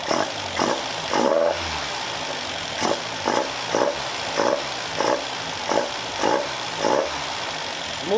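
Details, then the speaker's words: Caterham Super Seven carburetor engine after re-jetting (60 F11 to 45 F9, venturi downsized): short crisp throttle blips about every half second, revs rise and fall promptly without hesitation; pedal response now very good. "totally different engine Gas pedal response is now very good!"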